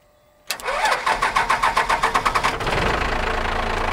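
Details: 1978 Ford F250 Camper Special body-swapped onto a 1997 Dodge 3500 12-valve Cummins diesel chassis, after years sitting in a field: starter grinds with compression chugs for two seconds, then the diesel catches and settles into a steady idle.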